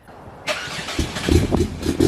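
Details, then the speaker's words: Cold start of a Nissan Skyline R33 drift car, with a fuel additive in use; starter cranks briefly, engine catches cleanly and settles into a steady, slightly lumpy fast idle; healthy cold start, reportedly much improved after someone fixed it. "Alrighty, so massive thank you to Lee. He actually fixed up that cold start a hell of a lot."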